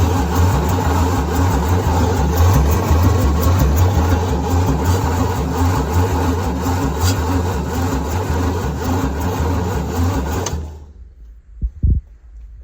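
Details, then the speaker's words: 1975 White 2-150 tractor, 585 cu in (nearly 10 L) diesel dormant 19 years, big old starter: heavy, sluggish cranking at about three laboured compression beats a second, then stopping; still not spinning quickly, small leads getting hot, owner plans to jump from another vehicle. "yeah it's still um still not spinning over all that quickly I might put the ud on up with a set of jump leads"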